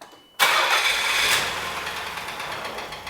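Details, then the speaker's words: 1991 Nissan Figaro, cold start: engine catches at once into a busy idle with quick, uneven tapping underneath; owner hopes it is only lifter setup rather than a knock. Engine knocking, cause suspected. "knock knock knock who's coming somebody's coming in boys she's knocking but hopefully it's not knocking hopefully it's only the lifter set up"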